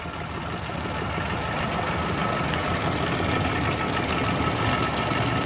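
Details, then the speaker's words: 2012 Suzuki Bolan misfiring on both CNG and petrol: rough idle with a sharp regular snapping tick about four a second; a plug lead, its rubber worn through, is cut and sparking against the body. "ये आपको वायर नज़र आ रही है, ये स्पार्क कर रही है बॉडी के साथ, ये कटी हुई है।"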